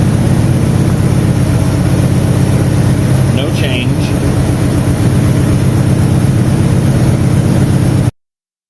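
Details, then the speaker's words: Loping V8 idle with an irregular stumble: four plugs had weak spark despite a new cap, rotor, wires and plugs; owner suspects worn distributor shaft bearings affecting the breaker point opening. Misfire. "Nothing made any difference. Those four plugs had weak spark no matter what I did. To me, this tells me that the distributor shaft bearings are a bit worn out."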